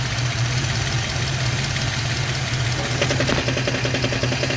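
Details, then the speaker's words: Manual car, camera under the hood: steady idle with a light, quick ticking knock while the clutch is engaged (pedal released). The noise stops when the clutch pedal is pressed, pointing to a clutch knock. "when it was clinking it's when i when the clutch is just on it's it's engaged it's not engaged i'm not stepping on the pedal"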